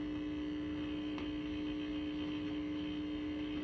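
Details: Original cocktail table, probably an Asteroids Deluxe, first power-up on the bench: loud constant single-pitch buzz through the speaker, suspected coming off the board; ground loop hum from bad ground.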